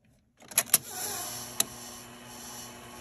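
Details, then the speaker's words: Sony SL-6200 Betamax player, sticking part held down by hand: a few sharp mechanical clicks as it engages, then quiet steady whir of tape transport playing with picture on TV; normal play transport. "there it goes now it's working and we got a it's a terrible picture but we have a picture on the tv"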